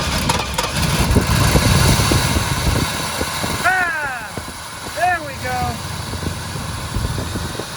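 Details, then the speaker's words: Pontiac GTO V8 on a lift, newly fed through a temporary hose fuel system, 7 psi fuel pressure, throttle worked by hand: uneven, stumbling, irregular pulses never settling; rough running on stale fuel. "i mean this thing's running like crap on that fuel but it's running it's it's jogging it's not really running"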